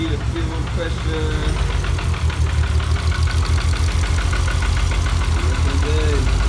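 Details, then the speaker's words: Car with repeated fuel-system faults (excess then low pressure, a pump running backwards, debris in the injectors): lumpy, uneven idle with a stumbling low beat that never settles; misfire from a clogged fuel injector. "all right guys so I've been battling this fuel issue and I mean I been having it too much fuel pressure and then I fixed that and then now it's misfiring and all sorts of stuff"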